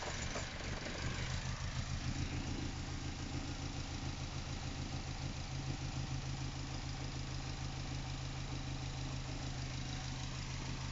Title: NC MX5 really rough idle